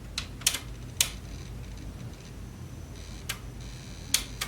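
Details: Sony TC-WR710 dual cassette deck, not working, powered up before belt replacement: sharp irregular clicks, about six in under five seconds, over faint motor hum; tape mechanism clicking, belt found in terrible condition.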